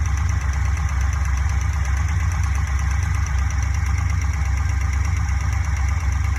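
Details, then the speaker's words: Fuel-injected Corvette V8 at idle with quick, even valve-train ticking about three per second. Thought to come from cylinder three, likely the exhaust rocker with excess valve lash; lash adjustment planned. "now the ticking seems to come from over here number three exhauster intake i think the exhaust one is the problem"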